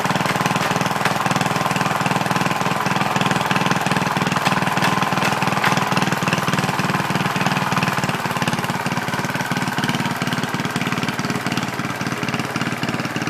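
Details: Original 1963 Cub Cadet single-cylinder on its first drive after clutch work, throttle cable not yet hooked up, governor controlling speed: steady, even thump at constant speed with no knocks or misses; normal running.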